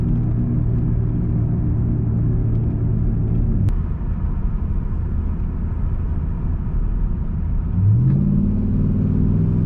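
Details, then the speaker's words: 2002-2005 Dodge Ram 1500, recorded inside the cab on a test drive after replacing worn front wheel hubs: low road rumble and engine drone through a gear change, no growl or hum rising with speed; quiet ride restored. "well there we go the wheel hubs are replaced and I have a quiet ride again"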